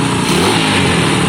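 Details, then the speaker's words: Honda CB200 motorcycle, first start after revival, with smoke from excess two-stroke oil: engine pulls up cleanly and holds a crisp, even note with no knocks, rattles or misses; sounds healthy. "it sounds healthy. I think it sounds healthy, John."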